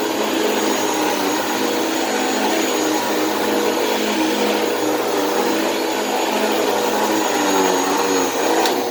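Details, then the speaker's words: Thrift store vacuum: loud steady motor whine with an uneven, rough edge, rough especially on wind-down; the motor sounds worn but is still running and is better than expected. "well that motor does sound pretty rough on wind down but as far as the motor itself it actually doesn't sound nearly as bad as i thought it would"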